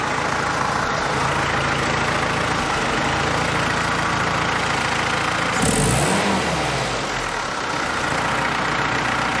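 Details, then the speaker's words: Jeep fitted with its original Carter WO carburetor after a professional rebuild and calibration, first start: steady idle with an uneven putter and one brief stumble; carb works, no leaks, but the hesitation persists, cause unconfirmed. "It's still doing that little putter and hesitation. The carb works good, but the engine is not happy still."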